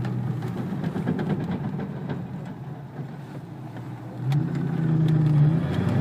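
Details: 2003 Cobra at slow speed with low engine rumble, scattered sharp clunks and knocks from the front suspension when turning sharply at low speeds.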